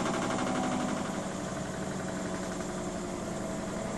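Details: Miele W 5963 washing machine in the spin cycle: steady spinning roar with a quick repeating knock about four beats a second; the noise returned after a shop repair and is worsening, cause unclear.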